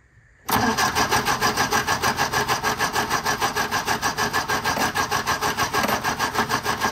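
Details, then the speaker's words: 1957 MG MGA roadster, first start after sitting in storage for many years: steady fast starter cranking with no catch or firing. Spark confirmed on the middle cylinders, whose plugs were very black, so fuel problem suspected. "let's double check one of these middle cylinders make sure it is firing foreign okay we are getting sparked there so again I'm back to thinking this is a fuel problem"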